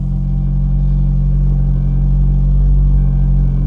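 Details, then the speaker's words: Acura RSX with K24 swap and Type S oil pump, first start after timing chain install: deep steady rumble with a thin constant supercharger-like whine on top, not supposed to sound like that; oil pump chain rubbing the wrong guide. "we did get the car running, but in that video you can hear a almost like a whining noise. Like it almost sounded like it had a supercharger or something on it."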